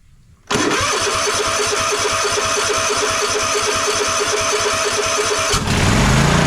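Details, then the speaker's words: Troy-Bilt Mustang RZT zero-turn mower twin after replacing a bad ignition coil that caused no spark and bogging under load: starts instantly without choke, settles to a steady, even pulsing idle; both cylinders firing. "anyway you can just hear the difference as the as the mower is running that both cylinders are now working"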